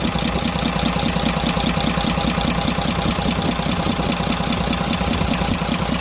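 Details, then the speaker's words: Cummins 340 24-valve six-cylinder truck diesel that suddenly began making noise, smoking and losing power, idling with tappet cover off: fast, even light ticking, louder at cylinder one; valve tappet ticking, rocker clearance suspected. "यहां पर आप गौर करें एक number की तरफ से ज्यादा आवाज सुनाई दे रही है"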